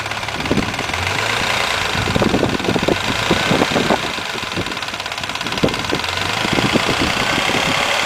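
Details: Mazda MX-3 engine warmed to normal operating temperature at idle; loose uneven metallic clatter about three or four taps a second; source unknown.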